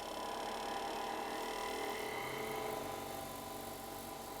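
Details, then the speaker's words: Hercules 8-inch bench grinder, 0.9 HP 5 A variable-speed 2000–3400 RPM, at about half speed: quiet even whir, steady tone, no wobble or thumping; runs smooth without vibration, unlike the previous unbalanced unit. "look at that it's not even vibrating off really really smooth that's halfway up"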